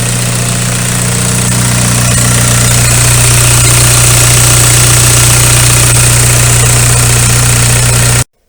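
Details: VW ALH TDI diesel idling after injection pump head seal replacement and bleeding cracked fuel lines; smooth, regular clatter with no misses or knocks; no leaks on test drive, normal idle.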